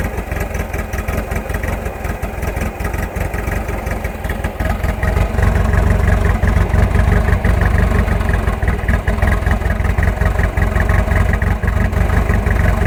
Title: 1986.5 Nissan hardbody rough idle